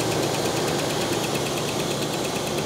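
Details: 1969 Cadillac Eldorado V8 with 21,000 original miles, first start after about 20 years on a fuel pump, oil pressure being checked: steady, even idle with a light, quick ticking on top; holds without stumbling.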